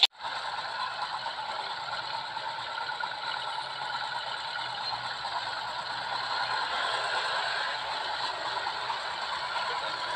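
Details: Yamaha Alfa / Honda Supra 125 engine lacking power: ticking, fast tinny rattle from the cylinder area at idle; mechanic suspects the connecting rod and piston, and the engine is stripped to inspect the piston and rings.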